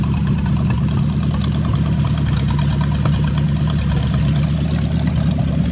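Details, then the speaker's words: Homebuilt V8 trike, unrun for 3–4 years, with its crankcase flushed with diesel after water got into the oil, on its second run with fuel pulled into the intake: it fires into a steady, even, low idle rumble and reaches good temperature. "okay this is the second run on diesel I even pull it a little bit in the intake this time see how it fires up this time"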